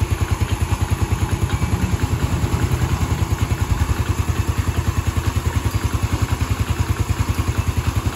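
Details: Yamaha Vega ZR motorcycle idling with a rough, pulsing beat about three times a second and a wavering "ngiung" whine, persisting after new crankshaft bearings; the cause is a faulty stator (spul) coil, and the engine smooths when its wire is jumpered.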